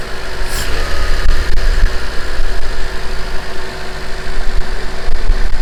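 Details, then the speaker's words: Honda CRX (ED8) idle after throttle body swap and replacing a hose with temporary AutoZone coolant hose: steady, even low idle with no misses, stumbles or hissing leaks; no leaks, running well. "Alright guys, so it's running pretty good. That works for now. No leaks."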